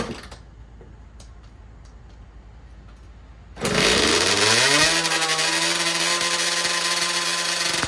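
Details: 2009 Kawasaki KX85 two-stroke after carb clean, fresh fuel and new jets, started on choke: a few kicks, it catches, flares, then holds a fast steady buzzing idle that stays too high; lean pilot jet suspected, possible air leak, owner plans another jet change.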